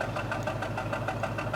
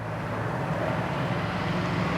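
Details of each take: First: 2004 Jaguar S-Type petrol engine at idle: uneven stumbling pulse around six or seven beats a second with some shaking, a misfire to be fixed by replacing spark plugs and coil packs. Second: 2004 Jaguar S-Type V8 that had a misfire on cylinder five, after replacing all eight spark plugs and coil packs, revved: even, steady rumble with no stumble or skip; misfire gone, engine runs smooth and clean.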